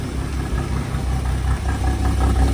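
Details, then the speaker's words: 1962 Ford Falcon, first start of the freshly installed replacement engine (the old one developed a rod knock), new oil and filter: smooth, quiet, even idle with only a faint valvetrain tick to be adjusted, no knock. "Look at that. You're running nice and quiet. Little bit of valve train kick, but we can tighten that up. No more knocky"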